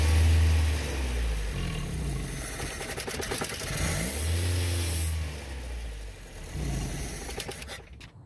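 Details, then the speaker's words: 1987 Toyota pickup with a 22R, held at a low idle during a vacuum-leak spray check: the idle sags and surges unevenly, nearly stalling each dip; no leaks found, distributor cap contacts were worn. "try to do a lower idle where it's like almost dying"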